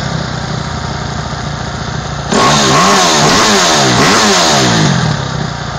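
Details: 2008 Kawasaki KX250F single after overhaul: steady idle, then sharp throttle blips rising and falling cleanly before settling back to an even idle; healthy.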